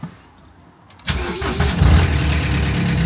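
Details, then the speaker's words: Crash-damaged salvage 2011 Ford Ka that sat a long time: short crank, catches immediately and settles to a smooth steady idle with no misses or knocks; runs and drives fine. "it actually runs sweet as up not only that it drives moves"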